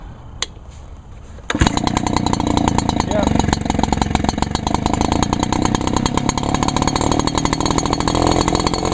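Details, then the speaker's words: Echo PB 400E blower (choke only, no primer bulb) on 32:1 gas-oil mix, topped up after running low on fuel. A click, then it catches and settles into a fast, steady two-stroke buzz with no misses or surging: normal running, runs good. "oh well she runs good anyways"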